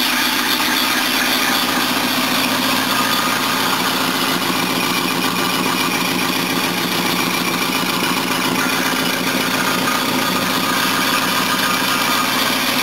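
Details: 1976 Mercedes W123 230 at idle on first look-over: harsh hiss and rattle with high squeal and buzzing over uneven puffing; all belts noisy, exhaust leaking, one bracket vibrating, engine itself seemingly okay.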